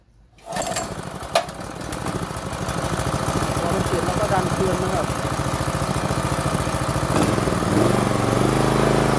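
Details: Small water-pump engine restarted with air filter refitted after in-place carburetor cleaning, choke and slight throttle: fires first pull, steady single-cylinder putter about three beats a second; healthy running.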